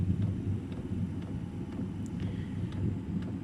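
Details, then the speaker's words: Eberspächer Airtronic D2 diesel heater after repair (it previously only smoked and would not start, carbon in exhaust), running from a battery with low voltage: soft steady burner rumble, fuel pump ticking about twice a second, slight smoke expected to clear; normal ignition. "the unit is starting to burn actually not like before so i think this unit is repaired maybe just just a little smoke coming out but this will clear out"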